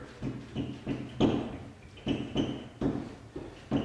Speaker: On this sheet that wasn't screwed down.